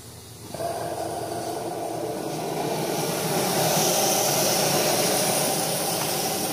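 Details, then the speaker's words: Samsung front-load washer test wash after replacing the rear drum spider and shaft seal (bearings still good): steady rushing hiss of water flushing through the detergent dispenser box into the drum; normal water fill. "this is the box that does the detergents your softeners and water is going in to flush into the flush into the drum so i can see things are wet in there and i can feel more water getting in the tub"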